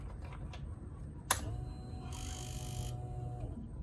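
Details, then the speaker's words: Honda Rancher 420 ATV that quit running, key on: sharp click, then a steady electric hum for about two seconds that stops cleanly; normal fuel pump priming, so the pump appears to work. "you hear the fuel pump humming and you know I'm sure it's set to run for so many seconds and then it cuts off which is what you hear you hear it priming"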